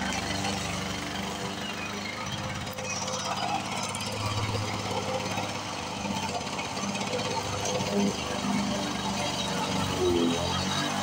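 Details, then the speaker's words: 1978 Lawn Boy 21-inch commercial two-stroke mower, revived after long storage, cutting tall brush: rapid rattle holds fairly steady and dips as it chews thick brush. A healthy engine pulling well under load. "guys you got this 1978 21 inch commercial Lawn Boy and uh we got her fired up running good and knocking down some pretty tall brush here"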